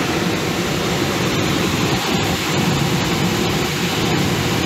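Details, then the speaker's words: Belt-driven blower motor, blower door off, measured around 1720 rpm motor and about 935 rpm blower after adjustment; steady whoosh and smooth hum, no squeal or knock, no longer rattling the unit; normal. "so anyhow loosen that up it's not not rattling the whole unit now even with the blower door off"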